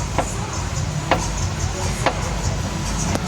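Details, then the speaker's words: Mitsubishi ASX (same on Lancer, Outlander) suspension: sharp, hollow knocks about once a second from a worn stabilizer bar bushing with play, making noise over bumps even on level roads; car used heavily on dirt roads. "Ó, essa folgazinha aqui, ó, ele já faz um ruído muito grande, tá vendo?"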